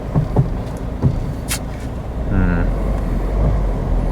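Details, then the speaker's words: Used Mazda 2 on test drive, steering clunk noted on previous MOT: over steady road rumble, a few dull low knocks at about one-second gaps; steering clunk, cause not confirmed. "I think then we should take this for a quick drive see how it performs oh I can hear the clunky steering now can you hear that"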